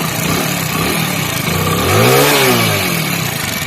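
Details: Hero Splendor Plus motorcycle engine idling and blipping: light, dry ticking from loose tappets (excessive valve clearance); a mechanic had blamed the timing chain.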